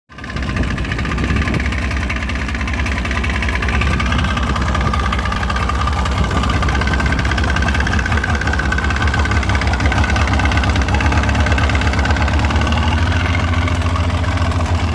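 Outboard idling steadily with a faint, dull knock underneath, about three a second, pointing to piston slap. Cause suspected, not confirmed.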